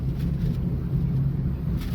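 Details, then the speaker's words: Possibly a 2016 Chrysler 200 on a test drive under load, noise heard already at about 20 mph: low, steady growl rumbling under road noise, seeming to come from inside the transmission; transmission growl, possible grinding. "Now the car came in growling noise, grinding noise, okay. That could be a number of things, guys."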